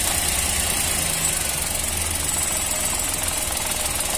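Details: 2022 Chevrolet Onix 3-cylinder with a Helper clutch fitted under three months ago, heard at the gearbox at idle: a light rapid rattle, three or four per second, as the clutch is released; clutch disc damper springs, fixed by fitting the original clutch.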